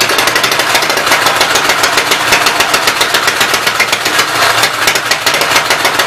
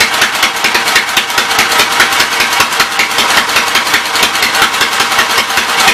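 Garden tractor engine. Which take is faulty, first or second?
first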